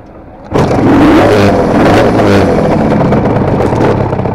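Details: Kawasaki KR250A two-stroke twin at idle, tachometer moving oddly for last few runs; burble with occasional uneven pops; owner suspects misfire on one cylinder whose wiring links to the tachometer.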